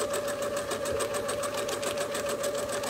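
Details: Freemotion quilting sewing machine with speed adjusted up to a comfortable pace: quick, even stitching beat at about three and a half strokes a second, no clatter or labouring; machine running smoothly and healthy.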